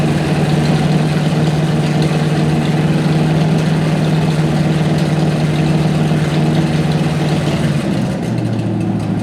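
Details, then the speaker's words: 1955 Chevy started after 20 years in storage, after capping vacuum leaks including the vacuum advance: a steady, fast, hard idle stays far above normal and only dips near the end; high idle. "i have a hard time believing that would cause that high of an idol let's see if that helped our super high"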